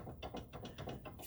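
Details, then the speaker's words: 2009 Subaru Forester 2.5 L SOHC, five-speed, front stabilizer end link removed and flexed by hand: quick rattling clicks, about six a second. Worn sway bar end link, which makes an annoying noise over bumps; being replaced. "That's the sound that you generally get. Super annoying. You go over a bump. Goddamn annoying."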